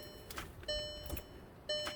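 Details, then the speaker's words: 2010 VW Tiguan with an intermittent no-crank after hot soak, towed in, with a test light on the starter control wire. Sharp single solenoid clicks and dash chimes but no cranking; power reaches the solenoid, so the starter motor has failed and was replaced. "you can hear the starter solenoid clicking so there's power being sent to it so it definitely needs a starter"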